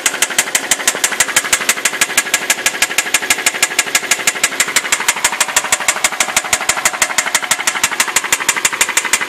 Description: i have 2006 hyundai sonata with a terrible clicking sound it started after it ran low on oil, and went worse after i changed oil and filter